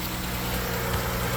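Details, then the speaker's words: 2010 Ford Edge 3.5 L V6 after starter motor replacement (old starter fried): starts and idles smoothly with even low hum, no knocks, ticks or stumbles; normal. "and we have fire so we've done our job right we got the starter going we got it in"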